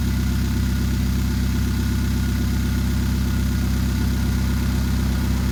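Low, steady idle with a repeating stumble, nearly three beats a second, giving a lumpy uneven rhythm; that's an idle misfire.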